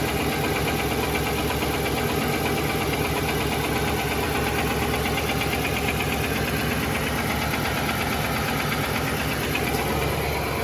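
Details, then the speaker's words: 2018 Nissan Titan Platinum Reserve V8, cold-to-warm idle with climate control on; faint uneven light knock about two per second, mic above driver's front wheel; louder when AC/fan clutch engages, gone when revved; dealer scope found piston slap in cylinder 7. "It's a V8 and I'm not sure whether I have the dreaded knock from the piston slap in cylinder 5 or 7, but this morning I did start to hear a bit of a tick or a slight knock."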